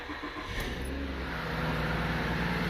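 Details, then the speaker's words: 2007 Lincoln MKX with misfire codes and an injector circuit fault; started and idling quiet and smooth with no skipping or stumble; check engine light on but not flashing; misfire intermittent, not present now. "the car, I don't know if this picks up on camera or not, but the car is running really smooth, not misfiring. Check engine light is on, but it's not flashing."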